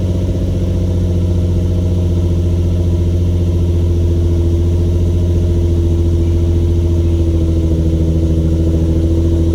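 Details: Infiniti G35 Sport HR sedan, nearly warm, after tightening loose ISR Y-pipe bolts that caused an exhaust leak and high idle; smooth steady low hum, unchanging note, no ticking, puffing or wavering. Normal idle.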